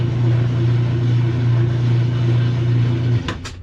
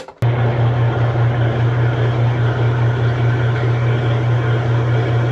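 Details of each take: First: Kenmore top-load washer that agitates and drains but won't spin, lid switch bypassed with a pencil: on spin cycle a steady low motor hum with no building drum swish, then cutoff and clicks; motor runs but worn clutch leaves drum still. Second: Kenmore top-load washer that agitated and drained but wouldn't spin, after repair with a transmission that sat outside over two years, lid switch jumped, set on spin: strong steady low hum, even drive, no grinding; normal spin cycle.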